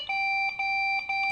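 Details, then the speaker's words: Used refurbished Lenovo ThinkCentre desktop that will not boot; short repeated POST beeps, three at one pitch and a fourth at another, pointing to a memory error. "Okay, it's three at one tone and four fourth one at a different tone."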